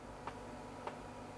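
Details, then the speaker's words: Sony VAIO PCG-FX501 laptop internal floppy drive during a full (non-quick) format: crisp single ticks about every 0.6 s in a quiet room as the head steps evenly; progress bar updating, drive working correctly. "don't know how well you can hear that but it sounds like it's moving correctly the progress bars updating"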